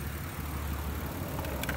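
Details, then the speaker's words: 1994-1999 Nissan Maxima idling low and lumpy with uneven beat from misfire; pulling the bad ignition coil pack changes nothing, pulling a good one makes it run much worse, identifying the failed coil. "The way you can tell is you hear how it's running now. You take this off and it runs the same. Okay, now if I take another one off, see, it runs a lot different. It runs a lot worse."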